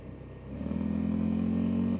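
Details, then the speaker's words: 2005 Honda Rincon 650 ATV with 1,300 miles, after repair for no power and a 15 mph top speed, ridden in cold snowy weather on light throttle: single cylinder pulls cleanly and evenly, shifting well; normal acceleration. "Shifting good. I'm barely touching the throttle right now. It's way better than it was."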